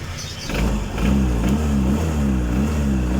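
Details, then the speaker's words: Honda PCX 150 scooter with non-charging complaint after socket change, fixed by correcting fuse placement: steady even low drone, smooth pulses, no knocks or misses; charging now normal at 13.1 V; normal idle. "Nah, ini udah pengisiannya udah normal di 13,1."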